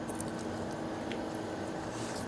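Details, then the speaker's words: Toyota Hilux KUN25 wheel hub spun by hand with hand on the shock absorber; steady gritty grinding rumble from a worn wheel bearing, the cause of the droning heard while driving. "Kita pusing pakai tangan macam ni pun dah kasar. Apa lagi dah pasang tayar dia dah tak kereta dah berjalan lagiah berdengung bunyi dia."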